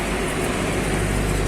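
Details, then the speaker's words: Nissan Frontier 4x2 with wheel raised and spun freely: constant low rumbling growl with vibration, no knocks; dry, worn wheel bearing, rubbing sound when driving. "ale madura parece que suena ellos por rodamiento cuando en viajes tiene a sonar como un roce"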